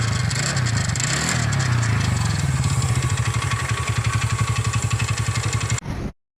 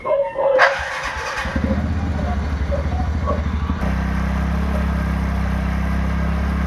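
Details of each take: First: TVS Ntorq 125 scooter: rough rattling clatter as the engine cranks and catches, then an uneven knocking idle around four beats a second; the one-way starter clutch bearing was completely damaged and replaced with a genuine part. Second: TVS Ntorq 125 scooter after replacing a damaged one-way (starter) clutch bearing with a genuine part: engine catches cleanly and settles into an even, smooth idle with no rattle or grinding. Normal start and idle.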